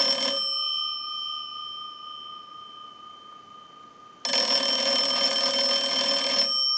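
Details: Kellogg wood wall crank telephone during repair checkout. Two bursts of fast, bright, even bell ringing with clean steady tones; the ringer strikes crisply and sounds normal and healthy.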